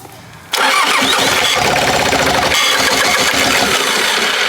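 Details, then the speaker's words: Bobcat 763 skid steer, sat a year with water/rust in the fuel, just fixed: the engine catches and runs but a harsh, high, gritty whir stays on top because the key was held too long. The starter isn't disengaging. "don't sound that's the starter that's making that noise it's not disengaging you don't hit the key once it starts okay"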